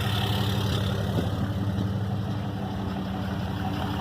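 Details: 2012 RAM diesel, first start after its failed VGT turbo was rebuilt and reinstalled. Deep, even idle with a steady low rumble and no knocks, misses or whistles. It sounds healthy and settled.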